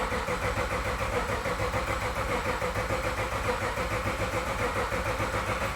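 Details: Toyota IS200 with LS V8 conversion, aftermarket ECU with base map, first crank with engine not yet firing, checking oil pressure: even starter churn about three and a half beats per second, no firing; normal healthy cranking.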